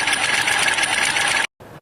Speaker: Tiếng giữ van thủy lực tiếng van điện từ của bình than hoạt tính.